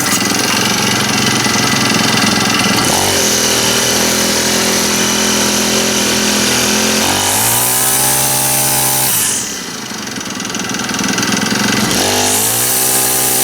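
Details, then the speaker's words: Honda GX25 four-stroke trimmer after full service, run outside on straight gas, warming up; idles evenly, revs up cleanly each time the throttle opens and drops back smoothly, seems to run pretty good, normal running. "Oh, didn't put any throttle on. Likes it warm up though. Seems to run pretty good."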